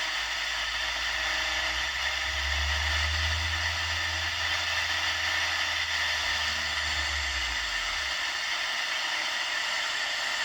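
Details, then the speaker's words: Unitra Eltra Alicja R-701 radio on FM (UKF) band with a wire antenna, tuning across and on both programmer presets: only flat even hiss with a brief low rumble while retuning, no station received; no FM reception. "niestety również cisza tak więc w chwili obecnej nie odbieramy Nawet żadnej stacji"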